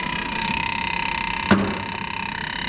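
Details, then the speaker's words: 1979 Ford F-250 welding truck, key on, engine off, battery at 12.5 V: steady high buzz with fast fine pulsing from the voltage regulator, suspected chattering, not confirmed; running, it charges 13–14 V with the needle fluctuating. "Is that you trying to start it? That's the voltage regulator,"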